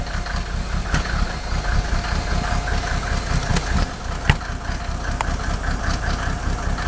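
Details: Mercedes OM603 diesel, cold: lumpy uneven idle, irregular stumbles and thumps through low clatter, like cylinders misfiring; smoke drops only with injector lines 2 and 6 cracked, glow plugs tested fine, still rough warm; cause unconfirmed.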